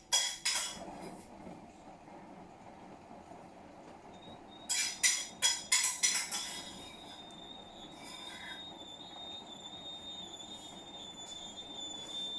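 A quick run of five or six sharp high squeaks, then a thin steady whistle; something is rubbing or squealing, cause unclear.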